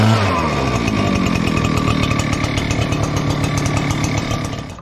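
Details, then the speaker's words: Echo PB-9010T backpack blower at about 500 hours, previously running poorly when cold, after richening the carburetor a quarter turn: fires without choke and settles into a clean, even two-stroke buzz with steady pitch; running great. "So anyway, made a huge, enormous difference. It's running great."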